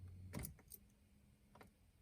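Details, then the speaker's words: Starter motor dead spot: key turned, lights on, low steady hum with no cranking and the engine won't start; turning the key again starts it; starter to be replaced. "now i hit it again and it will start so that's a dead spot in the starter let's try that again huh right there dead spot you can hear that humming nothing's happening and it won't start"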